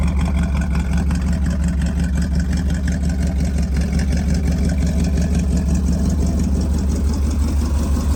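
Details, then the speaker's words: 1965 Ford Mustang Fastback with 289 V8 A-code and 4-speed, just after starting: a deep, even V8 burble at steady idle with no knocks or ticks. Engine is nice and quiet. Normal idle. "Code 4M6. Engine's nice and quiet."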